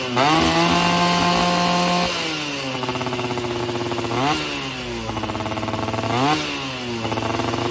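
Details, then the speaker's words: Yamaha F1ZR two-stroke after a major service and porting for daily use; carburettor setting, lean before, now right; standard 14/38 gearing. Crisp, ringing revs climb and drop cleanly several times with no bogging. Normal running. "Oh ini saya udah pas banget settingannya untuk harian. Nah jadi kan di portingnya ini untuk harian ya."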